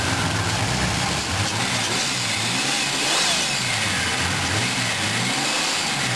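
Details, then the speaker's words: 1985 Chevy Celebrity Eurosport, first-generation fuel-injected 2.8 V6 with a salvage Pontiac TGP turbo and HV oil pump, on its first warmup. Idles and revs with a loud raw hiss and rasp over the running note. Broken exhaust leaking. "Well, I got this engine started up. Sounds pretty good, other than the broken exhaust system."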